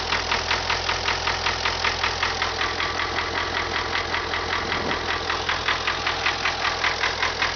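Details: MTZ tractor diesel just started at idle: steady sharp knock about 2.5 per second over even idle; engine knock of unknown origin.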